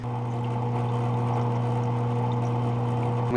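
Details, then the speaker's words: Aquaclear 70 aquarium power filter has recently become loud: a steady electric buzz with a coarse rattle. "The power filter on this tank uh recently has started to make it's pretty loud noise."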